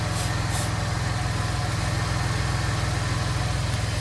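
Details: Gen2 Chevrolet Traverse after exhaust leak repair between resonator and muffler (new nuts, bolts and gasket): steady, even low idle with smooth regular pulse, no ticking or puffing; normal idle.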